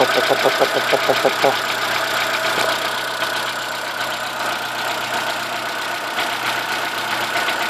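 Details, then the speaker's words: Corsa 1.0 8V VHC at idle: a quick, fairly regular knock about three a second, one side of the engine. It stops when alternator belt tension is removed; a second alternator made no difference, and the tensioner is new. Owner suspects a bearing (mancal/bronzina); unconfirmed. "o barulho aqui que é esquisito é justamente esse que tá começando a fazer [Aplausos] agora esse barulho via a tensão da correia do alternador ele para me disseram que pode ser mancal"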